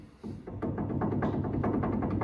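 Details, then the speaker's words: 1975-79 Chevy Nova front wheel hub rocked and spun by hand before DRP bearing spacer install: dull irregular knocking from end play in the wheel bearing; spacer needs running in slightly smaller to take up the slop. "so that tells me that I need to run that spacer in just a little bit smaller to take up that slop"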